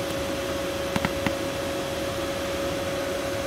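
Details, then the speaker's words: 2015 Mercedes/Dodge Sprinter 3.0L, after replacing a shorted AC blower motor that was previously silent: a smooth, even fan rush with a steady mid-pitched hum and no rattle or squeal; normal blower motor running. "hope you guys can hear the blower motor the blower motor is definitely working now remember before it was just quiet"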